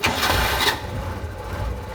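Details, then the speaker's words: 1985 Suzuki Carry 1000 (ST100) after plug wires were reinstalled, checking they weren't swapped: short crank catches at once and settles into a smooth, even idle; wires were correct and the engine starts cleanly. "Oh, enggak, langsung nyala mesinnya."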